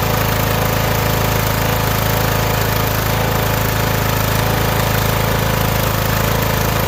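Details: Started on choke: a steady, even low drone with a regular beat around 160 per minute, no misses or surges, running smoothly on its own gas tank.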